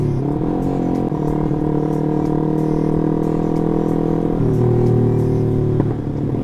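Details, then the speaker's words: Yamaha R15 V3 with racing exhaust: steady single-cylinder drone with occasional faint sharp pops on throttle changes; infrequent exhaust backfire popping. "Cuma di R15 ini memang agak sedikit gitu sih, meskipun nggak begitu sering nembak, tapi memang ada nembak-nembaknya"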